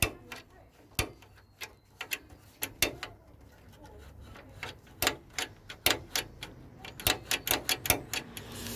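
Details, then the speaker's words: Ford bonnet release on a CVH-engined project car, release being worked: sharp, irregular clicks two or three a second; owner suspects the cause is a perished rubber bush that fell off or disintegrated, not confirmed. "I'll tell you what the clicking is there was a little rubber Bush there that I think it fell off now I've got a feeling that bush just disintegrated"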